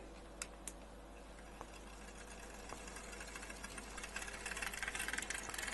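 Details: Hachette Lancaster B III model, stages 39–40, 3 V propeller motor test: the small motor spins the prop up with a smooth, rising buzz and no knocks or rubbing, running cleanly once up to speed; normal running.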